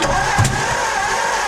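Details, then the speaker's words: 1949 Ford farm-find tractor, just retimed with number one cylinder set: steady cranking hum broken by a single sharp pop; backfire likely from a valve or two hung open rather than wrong firing order. "so the backfiring could be FY in order but the backfiring could also be a valve or two hung open which is probably the case"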